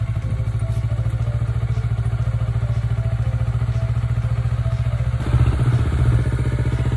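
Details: Kawasaki Ninja 400R (400cc, 2013-registered, 7 years old) started after three months unused since December, despite an expected dead battery: even, steady idle thump at about three and a half pulses a second, no misses or knocks; healthy.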